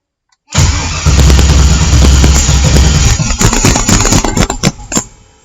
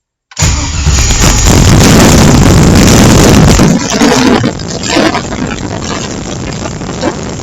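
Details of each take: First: LS-swapped engine on MicroSquirt ECU, coolant about 49°F in garage; starter cranks steadily, engine coughs and stumbles then dies without running; starts only if primed to solid fuel pressure, owner suspects too little cranking fuel. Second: LS-swapped engine on a MicroSquirt ECU via TunerStudio: after the fuel table was raised, the engine catches at once, flares loudly, then settles into a steady, even idle. It now starts normally.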